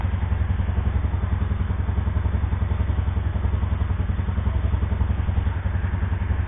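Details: Yamaha SR single that broke down at -15°C: steady deep thump at a fast even beat with no dip, holding a higher-than-normal idle. Cause suspected, not confirmed.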